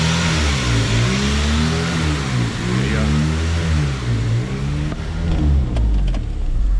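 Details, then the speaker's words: 2002 Honda Civic EP3 hatchback: idle rises and sags every second or so in a steady hunting cycle; surging idle blamed on a dirty idle air control valve, fixed by cleaning it. "because the car has a high and low surge when it idles"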